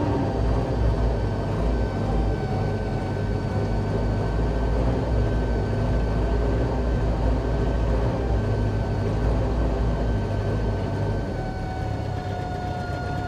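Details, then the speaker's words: Bombardier Bombi with Holley Sniper 1100 fuel injection, after exhaust manifold crack fix, restarted after stalling, warming up, idle set 900 rpm: uneven, lumpy beat and wavering drone. Rough running; owner suspects closed-loop changeover, unconfirmed; engine cuts out again. "Oh, it's running a little rough right now. I'm just going to let her go and see if she carries on her own here."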